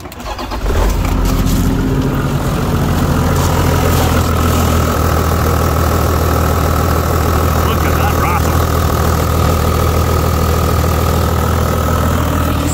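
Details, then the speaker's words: 20-year-old Toyota Land Cruiser 100, 1HD-FTE 4.2 turbo diesel, cold start at 3 °C: cranks, catches, settles into a lumpy stumbling idle, not on six cylinders, white and blue smoke; fuel injection pump suspected. "we have a 1 hd fte apparently bulletproof engine and it misfires and smokes like crazy when it's cold"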